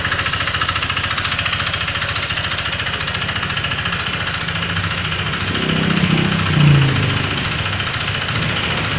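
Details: Honda Vario FI 125 scooter at idle, rough after a recent service: fast, uneven knocking about three or four per second; mechanic attributes it to the connecting rod (setang piston).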